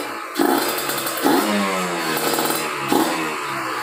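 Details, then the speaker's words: Kawasaki Ninja RR two-stroke, PWK30 carb re-tuned after a ground wire install, unloaded on a stand: three crisp throttle blips snapping up and falling back cleanly to a steady idle with no stumble; revs freely. "Kalau sekarang di 11-12 itu udah udah enak lah pokoknya. Jadi memang normalnya kayak gitu kalau di belayer tanpa beban ya."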